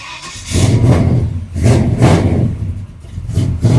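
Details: Cold truck engine after advancing the distributor timing, vacuum line found unplugged: clean, repeated throttle blips rise and fall smoothly with no stumble or popping; normal revving.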